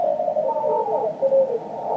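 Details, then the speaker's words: Amateur radio receiver on 40 m (7 MHz) band with CW filter on, preamp not fully up: steady S4 man-made hiss with faint overlapping Morse tones buried underneath; band noise swamps weak signals. "the noise level is S4 with a CW filter on and the preamp not even cranked all the way up it's awful"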